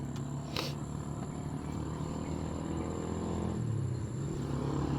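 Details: Motorcycle idling on its original spark plug cap, refitted after an online-bought replacement cap overheated and failed. Low steady even rumble with no misses or popping.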